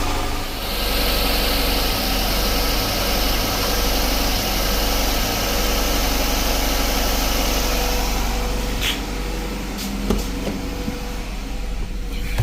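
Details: 2012+ Chrysler 300 after repairing a bad crank sensor wire connection (5 V reference restored) and clearing multiple engine codes: even steady idle hum with no misses or surges, then handling clicks; crank signal good, oil pressure 83 psi.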